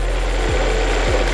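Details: Peugeot 308, about 30,000 km, that made a noise on first start, after installing a new timing belt kit and tensioner: smooth, steady idle with even low hum and no ticking, slapping or rattling from the belt area.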